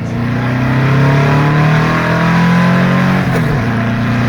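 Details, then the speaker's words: Second full-throttle road pull on a 2-litre Porsche engine with 44 IDF carbs, now on 125 main jets. The note climbs cleanly and strongly with no flat spot, pulling far better than before, though it seems to have more in it. "okay she's pulling a lot better way way better yeah definitely a lot better"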